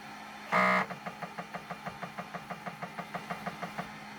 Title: snapmaker grinding noise